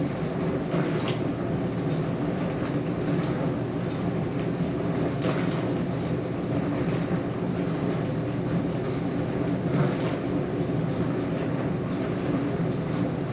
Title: More noisy dishwasher